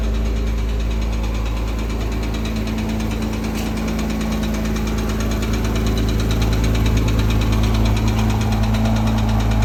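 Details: 2008 Porsche Cayman S at idle: light, fairly even tick about three times a second over the engine note; suspected bore scoring, not confirmed.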